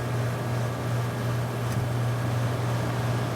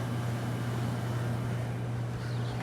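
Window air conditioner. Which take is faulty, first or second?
first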